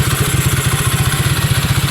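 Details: Honda Click 150 scooter after repair of a no-start (crank only) caused by a reversed intake valve spring and rocker arm: the engine now idles with a steady, even putter of about nine to ten beats a second.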